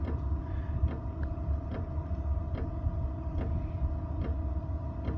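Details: Tunable diesel heater, 12 V, with the fuel pump frequency dropped to 1.2 Hz: sparse, irregular ticking about once a second over a low fan rumble; the pump frequency is set too low for an efficient burn.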